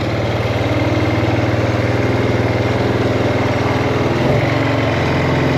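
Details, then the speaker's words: 2007 Buell Blast single, started for the first time in at least a year, in neutral, cold on the auto enrichener (no choke). It thumps along at a steady cold idle, about three pulses a second with a slight dip. "Let's see if it starts. Come on. Really? Oh. Hey, look at that. It runs. I'm telling you, it has to be a year since it started, at least."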